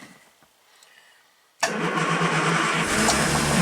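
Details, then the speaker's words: 1967 Triumph GT6 started on a warm day with a little choke: quiet cranking, then it catches instantly and settles into an even, steady idle. Healthy start. "I love it. It just fires right up. And it's pretty warm today, so we don't need full choke."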